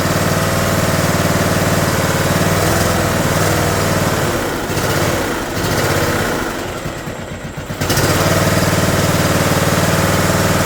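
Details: John Deere D110 mower, single-cylinder engine reassembled from a box, choke on, throttle cable just connected: fires and settles into a steady, even idle with a brief speed dip and no knocks; runs healthy.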